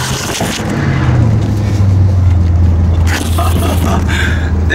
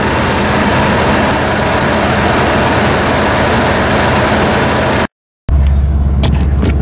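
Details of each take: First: Ford F150 V8 carburetor after fitting bigger jets, running at 100 degrees warm: pulls up smoothly with steady deep drone, no hesitation or flat spot; earlier rough noise traced to the rear, not the engine. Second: Ford F150 carbureted, jetted lean, test drive after fitting bigger jets: engine pitch rises and falls on throttle with a brief stumble before picking up; lean hesitation.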